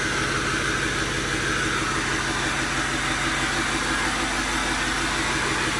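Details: Overkill XJ off-road rig after fixes: steady even idle, smooth low pulse about three beats a second, no knocks or misses; engine runs fine.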